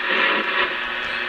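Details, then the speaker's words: 1966 Midland 13-133B two-channel 2-watt CB radio on a vertical antenna gives a constant hissy crackle with slight rough flutter and no signal: receiver static. The owner blames nearby lights; cause unconfirmed. "okay we're gonna have some lightning strikes that's for sure you can hear it just picking up all these lights in here"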